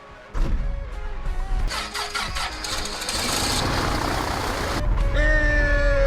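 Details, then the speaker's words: 1962 Piper Comanche 250 sat for years in a dirt-floored hangar, cold start on both mags: slow uneven cranking catches and settles into a steady low idle without stumbling; good oil and mechanical-pump fuel pressure; healthy start. "all right so it took some turning but it fired up we got excellent pressure we got good fuel pressure from the mechanical pump"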